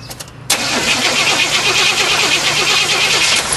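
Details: 1988 Chevrolet Suburban half-ton, 350 TBI fuel-injected V8, starting and settling into a fast idle. A light ticking knock rides over the exhaust; cause unclear.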